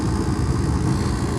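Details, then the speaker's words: Mr. Heater MHU50 50,000 BTU propane garage furnace that was completely dead, after reflow-soldering four board terminals: starts and runs with a steady, even roar and smooth low rumble, no knocks or surging; working normally. "Success! It sounds like it's about to start. There we go."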